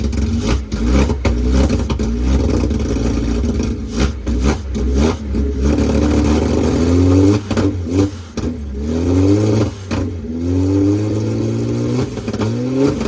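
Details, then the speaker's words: 1972 Datsun 240Z, L24 inline-six with open headers, running on boat-tank gasoline, carburetors uncleaned, first start after revival: loud raspy burbling idle with throttle blips, even firing, no misses or knocks; normal idle. "That's on gasoline from our boat tank, idling. We haven't even touched or cleaned the carburetors in any way, shape, or form."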